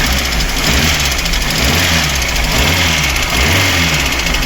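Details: VAZ 2108 engine, fully cold after standing overnight, owner says no cold ticking; others diagnosed camshaft. Hard irregular knock rising with revs, seemingly from top; mechanic doubts camshaft, fourth plug oily, crankcase gases. Suspected piston slap.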